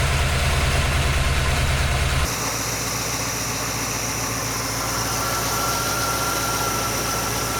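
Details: GMC truck V8 with an Edelbrock VRS-4150 650 CFM carburetor replacing the 950, idle mixture and speed set: even, steady idle with a smooth low rumble, no misses or knocks; healthy idle.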